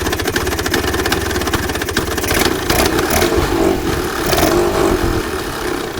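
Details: 1966 Vespa Sprint after rebuild with Pinasco racing crank, Pinasco 177cc aluminium cylinder and CDI ignition: crisp two-stroke buzz picks up cleanly on throttle and settles back evenly. Normal idle and revving.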